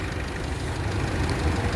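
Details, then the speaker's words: 2010 Toyota Altis brought in for a noisy transmission while driving, plus a rear main seal oil leak; after repair, the original gearbox was refitted and it drives normally, with a low steady drive hum and no whine or clunk. "ก็คันนี้ก็ถือว่าจบแล้วครับวิ่งปกติครับ"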